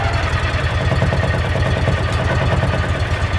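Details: Salvage-auction Mule side-by-side, small engine, after reassembly: low, even putter at about three pulses a second, no misses or knocks, no leaks; smooth, healthy idle.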